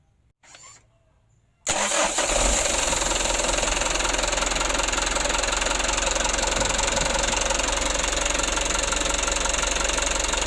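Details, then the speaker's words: Mitsubishi Canter HD125 PS diesel truck after valve clearance and Bosch pump setting, intake refitted: brief crank, catches, then steady even diesel clatter at constant idle; idle speed now correctly set, normal idle. "Untuk lansamnya udah pas mas bro, udah mantap lansamnya."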